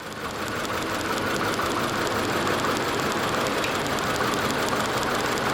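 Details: 2003 VW Passat 1.8 Turbo: uneven, loping idle with irregular stumbles; misfire traced by swapping and unplugging coils to two faulty ignition coils, camshaft position sensor also replaced.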